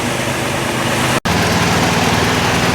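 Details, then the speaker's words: 2011 Toyota Tacoma, engine idling with AC compressor drive plate replaced for a squeal: steady even hum with no squeal, rumble or ticking from the pulleys; idler bearings sound quiet and healthy. "Good opportunity to check this idler bearings and stuff for noise. They sound pretty quiet."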